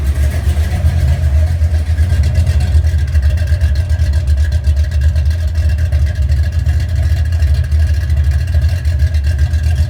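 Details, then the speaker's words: 1970 Chevelle 454 big-block V8 with flat-tappet cam, cold start right after cam break-in and oil change: deep, loud, steady rumble at fast cold idle, even firing, no ticking or knocking; runs healthy. "we're going to go ahead and give it a cold start and see what it sounds like after the oil change and the Canam broken"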